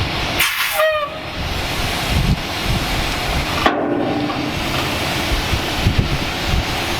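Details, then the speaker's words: 1986 dump truck with 118,000 miles, idling after running the dump bed's hydraulic pump: a continuous sharp hiss comes from under the truck as a broken air line bleeds off pressure, the brake light comes on, and there may not be enough air to apply the brakes; air line leak. "Oh sounds like we lost in the airline or something for losing pressure and our brake lights on now I don't think we have enough air pressure to actually actuate the brakes I hear something leakin under here"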